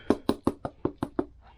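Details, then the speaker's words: Salvage-yard vintage trail bike, spark plug removed: seven even hollow thumps about five a second with no firing or compression bite, as the engine spins freely without the plug. "There's no plug in it. That's why that's why it sounds like that."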